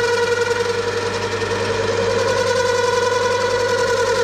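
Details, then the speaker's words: Lathe cutting with a massive tool overhang deliberately set up to cause chatter: a loud sustained high-pitched scream through the cut; tool chatter. "all right so the machine is going to scream at me but oh yeah that's horrible oh yep now she's unhappy she is"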